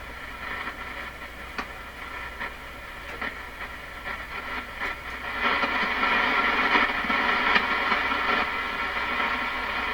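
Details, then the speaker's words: Stromberg Carlson Model 515 radio on shortwave around 12 MHz, during wax-capacitor replacement: steady chugging pulses, nearly three a second, over hiss. Unaffected by supply voltage; unclear whether from the radio or the antenna. "so question is is that chugging chugging I guess you could call is that coming out of this radio or is it coming off the antenna"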